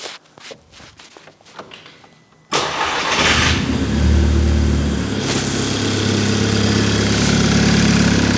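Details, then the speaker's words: Mk5 GTI after hardware changes, first start on a new basemap: quiet at first, then it catches, flares briefly and settles into a smooth, steady idle with no misfire or knock; normal start. "sounds as freaking epic as normal there"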